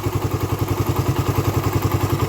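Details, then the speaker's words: Raider 150 carb motorcycle engine, hot: quick, regular ticking about nine to ten per second over the idle, quiet when cold; top-end noise from the head, owner suspects the compression release or tensioner. "mainit na yung makina niya Ayan ganyan na siya lumalagitik na siya ng ganyan pero pagka malamig Wala naman siya kapagka mainit lang siya tsaka siya dumarating ng ganyan"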